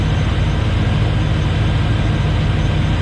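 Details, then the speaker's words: 2005 Hummer H2, 6.0L LQ4 V8, 191,761 miles, aftermarket exhaust and cold air intake: steady deep idle with an even low pulse and no knocks, ticks or misses; runs smooth and healthy. "you guys can hear it is running nice and smooth we'll rev it up here in just a minute"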